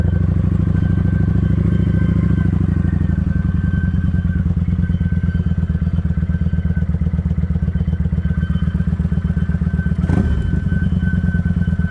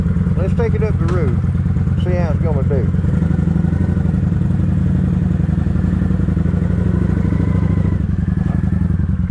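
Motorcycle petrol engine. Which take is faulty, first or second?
first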